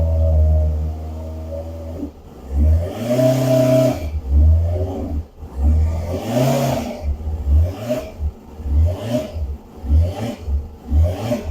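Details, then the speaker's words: Kawasaki ZZR600 project non-runner, revved; uneven blips, revs stumbling and popping instead of rising cleanly; misfire blamed on an intake air leak because the carbs aren't bolted down, plus suspected secondary air system involvement. "Sounds good. It's missing a bit there. I think that's to do with the Car. and the secondary air system. Right. It's got an air leak."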